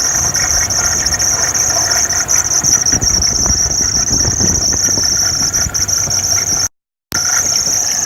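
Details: 2008 Hummer H3 engine with a steady, piercing high squeal over the running engine, typical of a slipping engine or fan belt; cause suspected, not confirmed.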